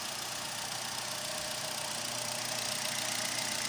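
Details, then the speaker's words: Engine test after replacing the O-rings of the fuel pump and regulator for fuel pressure loss after 3–5 minutes causing hard starting: steady, even idle under heavy hiss, no misses, knocks or stumbles; running properly, injectors still possible suspects. "Dito na siya, umaandar naman at siya maayos."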